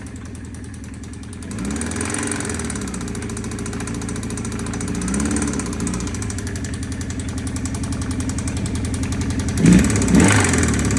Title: 1984 CB750SC Spun Bearing Cylinder 2